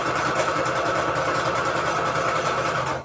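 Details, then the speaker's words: Sewing machine while stitching: a fast, uneven rattling chatter of unclear location, upper or lower mechanism. The owner's first troubleshooting step is to clean the machine. "can't really determine if it's rattling here or up here i can't tell so my first trouble shooting with my sewing machine is to clean it"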